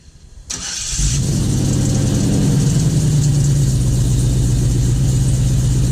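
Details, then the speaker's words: LS-swapped squarebody service truck, cold start with new exhaust and O2 sensors just installed, after a timing fix for knock: starter whirs briefly, then a deep, even, steady V8 idle with no knocks or misses. Sounds healthy. "there you have it sounds pretty slick to me I don't know how well the sound quality is going to come through on the camera but sounds good to me"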